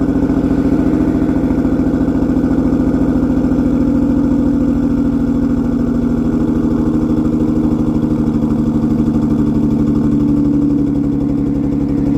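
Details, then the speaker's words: Six-cylinder car, cold start by remote start, running on five cylinders before repair: a steady but uneven, loping idle because the cylinder 1 fuel injector is inoperative, causing a misfire. "i've been dealing with it just sounds so ridiculous if you ask me"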